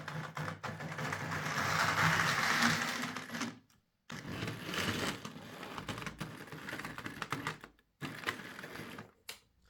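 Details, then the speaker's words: Hornby R.372 Class A4 "Seagull" model locomotive, tender drive, before repair: small motor whirs and clatters, then cuts out dead twice before restarting. Severe stop-start running; owner also reported a body-amplified noise and loose wheels. "Well, to be honest, I think any noise from the locomotive is the least of this model's problems. It's got a serious case of stoppy-startyitis."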